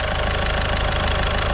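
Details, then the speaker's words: Caddy diesel after a week-long repair in which a stuck injector was removed with a slide-hammer puller kit: even, steady idle clatter with no misses or heavy knocks, ticking over smoothly and quietly. Normal idle. "So I am well happy with that. Well happy. And it sounds so nice and quiet as well."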